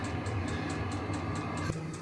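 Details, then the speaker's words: HCalory HBS1S 8 kW diesel heater running at H10 in gear mode, room below 10°C, warming up: steady even fan rush with faint pump ticking, no scraping or rattling; blower running normally. "It's making a noise to start with. as you might expect, but it's not. It's the fan really running."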